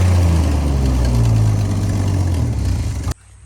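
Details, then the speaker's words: 1965 Ford Falcon after refitting the exhaust manifold at the head with a new gasket, replacing old silicone: deep, steady idle with no ticking or puffing from the manifold, running evenly until switched off. "all right we got the manifold back on everything snugged up i'm gonna crank it and we'll see it's any quieter"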